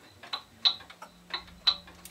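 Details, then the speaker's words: Pendulum clock, amplified, ticking in uneven pairs like a heartbeat instead of an even tick-tock: it is out of beat and will stop. Fix by shifting the bottom of the case side to side until the beat is even. "now if you hear it ticking like that the clock is going to stop notice it sounds sort of like a heartbeat it's going bump bump bump bump bump bump bump bump"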